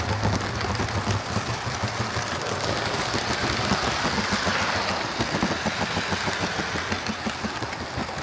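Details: Hornby HST model power car running after service; one of the pair had its motor replaced and its bogie frames swapped. Continuous, even whir with soft rail rumble and no grinding; both run okay now, normal running.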